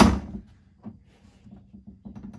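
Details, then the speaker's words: Honda Pioneer 1000 after door bushing replacement and snubber adjustment to fix door rattle: one solid thunk as the door shuts, then only faint handling sounds, no buzz or rattle; door latches tight. "that's what we want none of the up and down rattle you can see the door has no"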